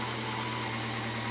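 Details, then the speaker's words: Volvo 240 being readied for its MOT, engine hot: steady, even idle hum with a quick, busy firing beat, idling at about 1100 rpm against a target of roughly 800–900; high idle speed. "c'est la vis de réglage du ralenti à droite et donc c'est très chaud n'entrera plus, c'est 1100,"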